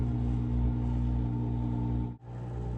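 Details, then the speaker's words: Frigidaire dishwasher being winterized with about a quart of RV/marine antifreeze, running the rinse cycle for about 30 seconds: a steady low drain-pump hum with antifreeze gurgling through the drain line into the garbage disposal. Normal drain pump operation. "And you can hear the gurgling of the antifreeze going back through the drain line there, so you know it's getting all the water out of there, out of the"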